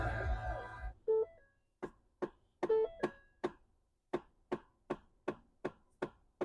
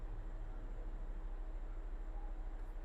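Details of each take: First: 2011-2019 Ford Fiesta on start-up: sharp, regular knocks from the dash, two or three a second, from a failing HVAC mode/blend door actuator (passenger or driver side), fixed by replacing the actuator. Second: Ford Fiesta (2011-2019) after replacing HVAC blend door actuator behind glove box: quiet cabin, faint low hum, no knocking or clicking at startup. Normal blend door operation after repair.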